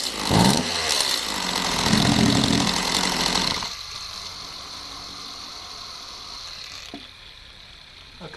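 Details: Stihl MS192TC chainsaw that bogs and won't rev, run with the bar and chain off the clutch: a brief scream, then it sags to a lumpy low run and won't hold revs; runs a little better, but the cause is not yet found.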